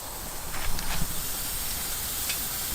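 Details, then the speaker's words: Ford with over 200,000 miles, just bought, overheated on the drive home (gauge past H, slowing, kangarooing, owner feared heat seizing); in the driveway a steady airy hiss from the front over a low rumble, possibly coolant escaping, cause unconfirmed. "something is not happening. Got hissing coming from the front. Yep, that's definitely hissing."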